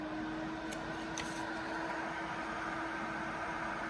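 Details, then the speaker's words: Acmemation 120mm 4-pin PWM PC case fan (2700 rpm max) at full speed, moving paper: steady airy rush with a faint even tone, no rattle or grinding; fan running smoothly. "And finally at full speed."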